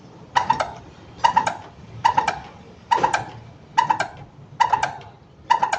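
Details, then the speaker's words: Yamaha Mio 115 on its stand, rear grab bar pressed: sharp squeak about once a second from the dead rear shock, at the shock rod and body, not the upper or lower bushings, with no oil leak; may be bent, binding or long-cracked. "ได้ยินเสียงชัดเจนนะครับนะฮะไม่ไม่ใช่เสียงจากบูหูโช้คบนหรือบูทหูโช้คล่างนะครับคือเกิดจากที่นี่เลยนะครับที่แกนโช้คกับตัวกระบอกโช้คนะแต่มันไม่มีน้ำมันรั่วเยิ้มออกมานะครับ"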